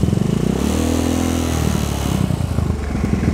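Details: Carbureted Honda Vario bored up to 130cc, freshly after an engine overhaul. Small single revs rise smoothly and settle without rattle or misfire. Idle sounds slightly bassy and some valve-clearance noise is audible, but the engine revs normally.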